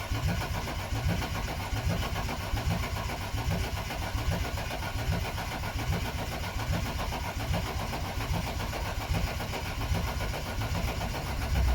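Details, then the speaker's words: BMW E36 Coupe with freshly installed M52B28 2.8 six from a Z3, fuel pump relay deliberately pulled to build oil pressure: steady rhythmic starter cranking about twelve seconds, never firing; no start due to no fuel. "No start."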